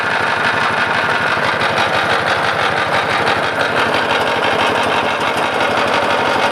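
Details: Lister LD1 single-cylinder air-cooled diesel, 4.75 hp at 2000 rpm, about 65-70 years old, driving generator: loose heavy clatter about three beats a second over thump; lift chain flapping, not engine internals.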